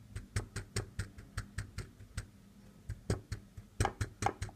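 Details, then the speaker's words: Seiko SNK809 automatic, 7S26 movement: irregular light metallic clicks about two a second as the rotor swings; loose rotor screw lets rotor touch movement or glass, rattling. "can hear that this is the sound of metal is touching thread lower side of the mechanism or the upper side means that the glass"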